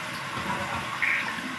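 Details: Toilet after a flusher replacement, test flush: strong rushing flush with a steady hiss of water draining and refilling, no gurgle or cutoff; flapper seating and timing properly; normal flush.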